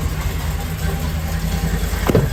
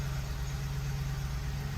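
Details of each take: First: Ford F-150 5.4L 3V, cold start after a timing job: rough, lumpy idle with the whole engine shaking, one bank of cylinders misfiring, popping through the intake and a rattling knock-like noise, traced to incorrectly installed injectors. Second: Ford 5.4L 3-valve V8 in an F-150 after a timing chain job and fuel line replacement, starting with fuel trims reset: deep, even idle with no popping or misfires; runs great.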